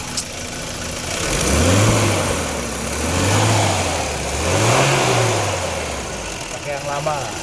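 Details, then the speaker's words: BMW E30 M10 engine after repair, with old iridium plugs and plug leads refitted; three smooth rev rises and falls, then even idle, no stumble or knock. Normal running. "Akhirnya udah normal lagi nih."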